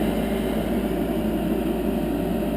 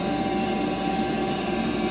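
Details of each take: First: 10-year-old Heil gas furnace after replacing noisy failing exhaust inducer fan with a new one, hard-wired: steady even low draft-fan hum, no rattle, whine or scraping; much quieter, normal inducer running. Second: 10-year-old Heil gas furnace inducer (exhaust blower) running in 20–30 below zero weather after its gasket was replaced: a steady high-pitched whine, audible upstairs, over the airflow rush. Owner suspects the inducer is failing and is replacing it.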